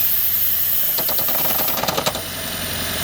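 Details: 2012 Lexus CT 200h, engine running, stalling on cold mornings: a steady hiss, then a burst of sharp puffing ticks and rattle. The EGR pipe's two bolts were missing, so the pipe leaks as the engine moves; the planned fix is fitting the bolts.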